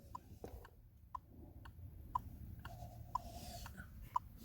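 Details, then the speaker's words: 2007 Chevy Colorado, turn-signal tick from a speaker behind the instrument cluster, heard in the cab after replacing the speaker: left signal gives clean, even ticks about once a second; normal turn signal ticking. "Left side. Hey, I have my TOCK, my signal sign, and we can hear it."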